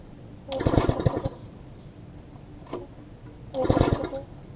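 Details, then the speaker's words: MTD front-tine tiller after removing water from the carb and fitting a different, wet-firing spark plug: each pull gives a few sputters and a pop, then it dies, catching but never running; flywheel key next, later traced to a misconnected throttle linkage. "I mean it's still it's still hitting like it wants to fire"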